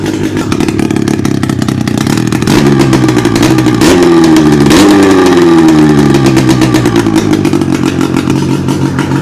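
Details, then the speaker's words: 600cc two-cylinder two-stroke snowmobile engine on a homebuilt sidewinder go-kart, revived after cracked-head repair and barn storage, on very bad brown gas, no exhaust fitted; loud raspy crackle revving and settling, firing steadily without misses; coolant leak puddling under engine; normal two-stroke running. "Other than the growing puddle of doom we have under the engine, this thing ran fantastic, ran like an absolute fever dream. It had seemed to have no issues, and we also had really bad gas."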